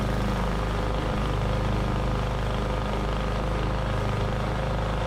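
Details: 21-inch Husky push mower (11A-B2M7031), Powermore OHV engine, fresh oil, started first pull: steady, even drone holding speed under mulching load, no surging, knocking or stumbling; healthy, fairly quiet.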